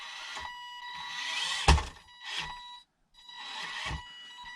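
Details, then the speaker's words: RC4WD 1/18 Defender micro crawler stock ESC: high thin electronic whine rising in short bursts with each throttle push; very noisy, no low-speed modulation. "and now to the defender it makes a lot of noise"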